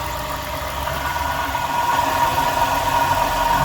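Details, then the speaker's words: Jeep at idle with a steady, slightly rough hum-whine on top; the alternator was replaced after a misdiagnosis, and the growl is traced to a worn water pump bearing. "I don't feel growling coming from this thing. I can sense it's coming from here. Somebody misdiagnosed this car."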